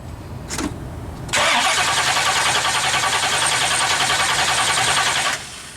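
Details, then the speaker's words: 1970 Pontiac LeMans with a 455, whose mechanical fuel pump failed after 2100 miles: the electric pump is on and the starter cranks steadily for about four seconds, but the engine never fires; flooding is suspected; crank no-start. "okay well good news is we're not hemorrhaging fuel anywhere so that's good now the question is why won't it start did you just flood it"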